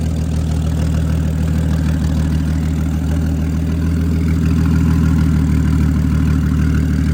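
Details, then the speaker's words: BMW F10 535i N55 with a DIY big single-turbo kit, first startup idling in eco mode after an oil leak was tightened: steady, even low rumble, no knocks, ticks or misses; idling smoothly and healthy. "Nice. So, here you go with the first startup. Right now we're just um idling right now because I got it in uh regular eco mode."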